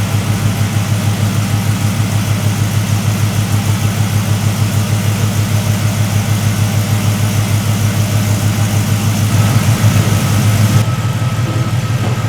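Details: 1973 Chevrolet C10 with LS swap, long-tube headers and no cats: deep, steady V8 idle with an even low pulse and mild exhaust rasp, quieter than expected; sounds healthy.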